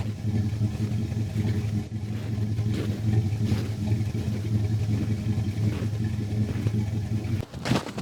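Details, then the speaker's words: Old carbureted car cold-started in negative temperatures after sitting 3–4 months, with an occasional misfire that needs carburetor work; it now idles with a steady, even, smooth low rumble while warming up. "Idling pretty smooth now. I'm just gonna let her sit here and warm up, and then we'll go on to the next."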